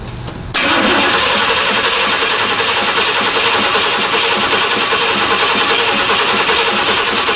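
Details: Square body Chevy C10 repowered with new Blueprint Engines 350 V8 and 700R4, first start; starter catches within half a second and settles into steady even idle, no knocks or misses, oil pressure and voltmeter reading; normal start and idle.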